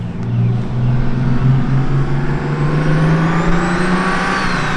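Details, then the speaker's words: Right-hand-drive turbocharged BMW E36 with Garrett turbo, first drive, pulling away gently in parking lot: faint rising whistle over deep low exhaust note; normal turbo whine. "That thing sounds crazy. That whine, that Garrett whine is just, oh."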